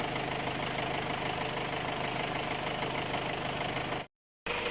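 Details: Ford Ranger WL diesel at idle, with a Chinese cylinder head fitted after an overheat: rapid, fairly even knocking, about three per second, over a steady idle. Engine knocking, cause still being searched for.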